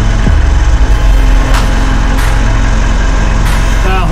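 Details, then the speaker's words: Mitsubishi L400 Delica on a lift, wheels off ground, idling in gear; low driveline drumming about twice a second, whole driveshaft visibly wobbling. Cause of the 70–80 km/h vibration: driveshaft out of balance; driveshaft to be pulled. "Well, that was fairly definitive. You can see the whole drive shaft jumping up and down, just even at idle. So the faster that this thing spins, the worse that vibration is going to get."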